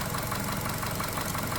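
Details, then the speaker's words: Chevy Cruze after an engine replacement (previous engine threw a rod), slight residual-oil smoke: light regular tick over a steady idle, a small knock of unknown cause; owner also dislikes a rattle, possibly a weak oil control valve. "And I don't like that little knock too."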